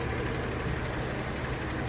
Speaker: Стук ушел. Двигатель работает мягко, четко.